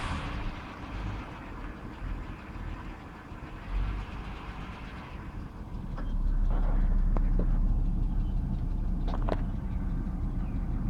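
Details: Engine ticking at cold idle on a chilly morning after 10-15 more minutes of idling: a faint quick tick, about four per second, over steady low idle, subsided a little; audible within about 3 feet; oil level unchanged; masked when revved.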